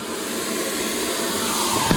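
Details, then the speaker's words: Gravity-fed sandblast gun used on a Jaguar MKII heater box part: a steady, unbroken hiss continues because the clogged gun's trigger hasn't shut off. "So one of the joys of doing this with this little beastie here is that it does clog occasionally. You can hear the hissing going on. That's because the trigger hasn't shut off."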